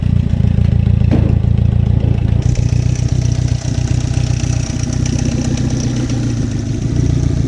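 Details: Chevy Captiva with a bad used replacement engine: rough idle with low uneven knocking about two or three beats a second under the engine hum; internal engine knock.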